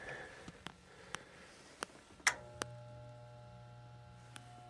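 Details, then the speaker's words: York Diamond furnace with a no-heat call: very hot inducer motor gives a few clicks then a steady low hum without spinning up; three flashes indicate a pressure switch fault; voltage is present and the capacitor was recently replaced, so the inducer motor is bad/seized. "you could hear that hum we're getting three flashes pressure switch"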